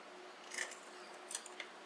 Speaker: Hey, the eject works. It's at least, the floppy drive's working. That's a small miracle right there.